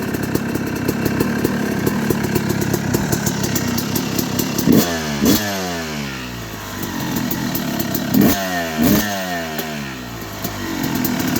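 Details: 2006 Yamaha YZ250 two-stroke, first start after rebuild (new crank main bearings, seals, OEM piston kit, replated cylinder, debris freed from shift drum): uneven crackling idle, snaps up cleanly on quick throttle blips; healthy.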